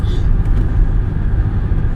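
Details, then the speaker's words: 2005 Buick Terraza after 4T65-E transmission replacement, highway test at about 60 mph in fourth gear, no slip; only steady even road rumble, earlier growling gone, no growl rising with speed, wheel bearing sounds normal. "Other than just normal road noise. All that growling and shit, that's all gone."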